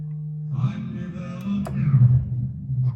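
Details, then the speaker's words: Audio-Technica AT-LP120XUSB turntable connected directly to a Dell computer has a steady low electrical hum with a fainter higher tone, worse when left sitting; the owner suspects the computer and plans to bypass the built-in preamp. "Okay, you hear this hum? It's actually worse when I just let it sit. I'm actually connected right to my computer, okay?"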